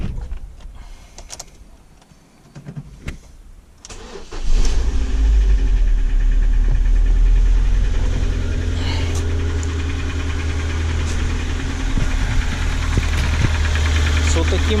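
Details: Ford Focus 1.6 with engine knock, later torn down for overhaul: scratches found on cylinder walls. After it fires, a steady hollow knock about three per second rides over the idle: piston slap.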